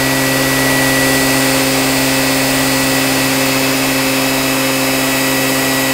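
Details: Qualcast electric motor after rebuild giving a loud, steady high hum at one pitch, no rattles or surges; running smoothly and normally.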